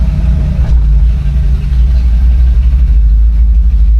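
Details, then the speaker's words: 1964 Chevrolet Impala SS convertible V8 idling shortly after a cold start: deep, steady rumble with an even beat, no knocks or misses; healthy idle. "Let's go ahead and get her started. That is a cold start as well. She fired right up. We'll give her a minute, let some of this gas flow through."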